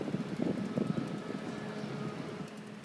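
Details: Desktop PC power supply: fast, uneven clicking about three a second over a steady low fan hum; owner is fairly sure it comes from the PSU, not the hard drive or the fan; cause unknown.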